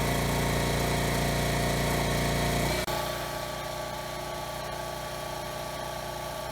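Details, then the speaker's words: Generac GP3300 generator after replacing broken blower housing that misaligned the recoil against the cup, no load, about 60 Hz: steady single-cylinder drone settling after a brief dip, no recoil rattle or surging; running healthy. "okay so it started pretty well runs well no surging or anything"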